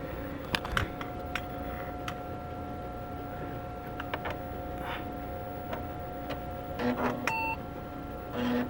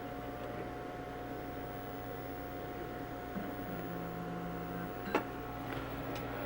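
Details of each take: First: IBM Portable 5155, powered on and working first time: steady fan and CRT hum, then one short clean POST beep; self-test passes and it boots normally. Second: Two IBM 5155 Portable PCs starting up at the same time, one unused since the 1980s and possibly reforming capacitors; steady hum with thin high whining tones and a brief lower drone midway, one unit noticeably loud at startup, cause unclear.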